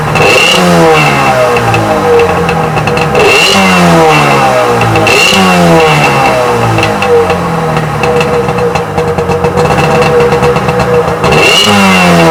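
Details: Freshly rebuilt Sea-Doo XP 720 two-stroke, first heat cycle in driveway, driveline disconnected: repeated throttle blips, pitch rising and falling every couple seconds, revving freely without misses; healthy running.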